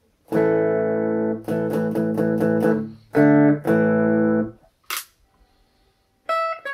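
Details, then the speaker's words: Squier Classic Vibe 50s Telecaster with single-coil pickups, after grounding the shielding and doing fret work: clean strummed chords with silent gaps and almost no hum or buzz. "there you go almost dead silent now after a little bit of a detective work to figure out where the shielding problem was"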